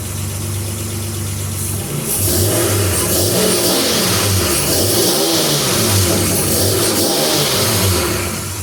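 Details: Nissan Z31 2+2 just fitted with a new fabricated 4-inch downpipe: the engine catches, revs up and drops back to a steady, even idle with a deep exhaust note and no knocks, rattles or leaks; normal running.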